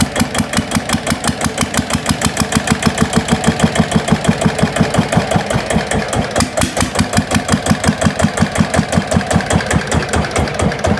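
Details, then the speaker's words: GA70 single-cylinder diesel on a water-pump stand after water-contaminated sump oil was drained and the plugged sump drain opened; steady even thump about three beats a second throughout; smooth, healthy normal idle. "เช็คเช็คทุกระบบระบายไ้าระบายแล้วมั่งเครื่องลื่นแล้วเนี่ยนี่ฮะเสียงเครื่องลื่นะ"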